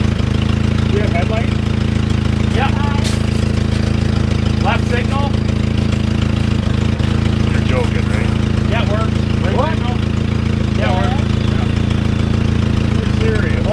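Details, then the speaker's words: 1960 Jeep CJ old four-cylinder after first cold start in years; steady even low idle with no misses or knocks, birds in background, oil pressure gauge working; normal idle. "run pretty good pretty good"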